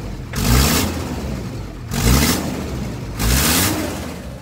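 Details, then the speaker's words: VW Crafter diesel on throttle blips, each bringing a sharp blowing hiss of exhaust gas; owner suspects the cracked corrugated flex pipe from the exhaust to the EGR cooler again. The van is also slow to start. "И он, короче, зашипел. Стал выдувать выхлопные газы."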